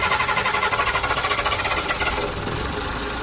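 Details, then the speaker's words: Boat diesel engine after fuel system and injector repairs: steady clatter at an even idle with no stumbling or surging, matching the rebuilt sister engine in rpm and cadence; timing, compression and valves good, normal idle. "a little loose on that, but nice and smooth. And the other one I just rebuilt. Fired right up as well. So pretty much exactly the same. Same RPM, same cadence."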